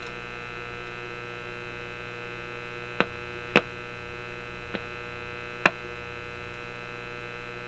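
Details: Simplex antique vacuum tube radio after fixing the Magic Eye tube B+ problem and raising it off low-voltage supply; steady low hum, possibly mains, with bright buzzy edge and a few sharp clicks; voltage reads 122, below the reputed 125 minimum.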